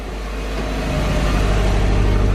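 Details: Subaru turbo boxer cold start after Grimmspeed 05-09 Legacy GT/Outback XT top-mount intercooler install: steady even low rumble, no hiss or whistle; boost gauge reads usual cold-start value, air-fuel normal, no leaks seen so far.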